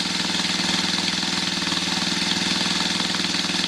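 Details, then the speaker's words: 1981 Yamaha XS400 twin, first start in about 13 years on a jump booster: steady even idle, running cleanly; one carburetor leaking fuel, suspected float needle not sealing. "Ça tourne. La vignette est de 2007. Ça veut dire que ça doit faire 13 ans qu'elle n'a pas tourné."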